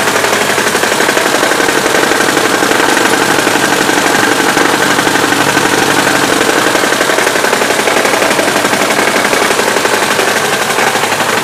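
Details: Daewoo Sens 1.3 running: a harsh, fast clattering knock, about three per second, steady with no change in engine speed. Source not identified, cause unconfirmed.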